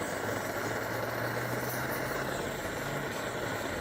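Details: 1930s Primus 70 pressure camp stove, restored with new jet and running on Coleman fuel. Steady, even roar at full flame without sputtering or surging; residue at the cap and owner suspects a new cap seal needed. Normal burner roar.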